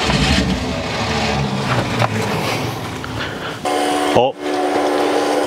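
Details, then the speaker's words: 1972 Ford F100 unrun over 10 years, electric fuel pump feeding carburetor: cranking churn then brief catch and firing that dies; carburetor thought blocked up, float bowls possibly overwhelmed by pump pressure. "did you guys hear that? God, that's crazy. It fired. Obviously, the carburetor is just blocked up."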